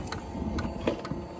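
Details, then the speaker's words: Chinese 5 kW diesel heater in a 1992 Toyota Hiace camper, normal startup after its preheat cycle: sharp fuel pump ticks about twice a second over a soft fan whir, with fan rpm increasing as it lights. "And it'll start clicking, you'll hear that fuel pump. It's starting to pump fuel. You can hear the fan RPM increase."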